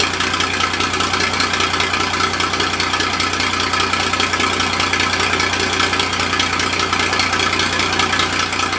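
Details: Massey Ferguson 2244 with a fresh Perkins three-cylinder diesel, first start in five years, cold; bump-started at the starter with a screwdriver and settles into a steady, even idle clatter with no knocks. Normal idle; its hydraulic clutches are failing separately.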